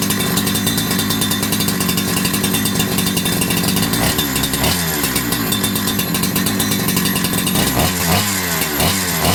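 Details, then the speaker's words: Holzfforma G372XP, a Husqvarna 372XP clone chainsaw, after fitting a new carburetor and adjusting the low and high jets: a steady two-stroke howl holding speed without stumbling, then blips. It now stays running; a too-short fuel pickup tube was also found. "okay well that was definitely an improvement"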